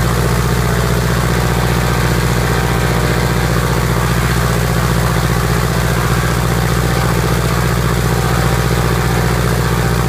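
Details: Piper Apache piston aircraft engine, first start after rebuild: deep even beat holding steady ten seconds, no misses or surges; normal smooth idle.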